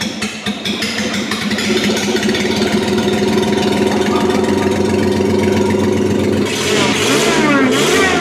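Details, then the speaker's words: Daihatsu Midget tiny truck, exhaust disconnected at header before hooking up a cheap Temu supercharger: raw, crackly, very loud bark, lumpy idle then flaring on revs; open header exhaust roar, unmuffled. "we've disconnected the exhaust and I wanted to hear it before I put the supercharger lines into the actual motor just to get an idea of what it's going to sound like"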